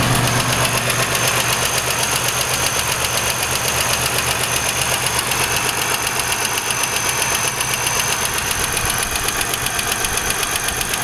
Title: 3800 Engine Knock